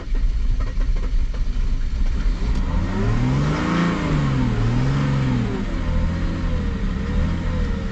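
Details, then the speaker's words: Mercedes-Benz W210 E 300 Turbo Diesel after a crank-no-start, raw diesel smell, no trouble codes, throttle held: engine surges and sags, hunting and stumbling, barely staying running after a hard start. Fuel pressure problem or glow plugs suspected. "once really wants to die doesn't it"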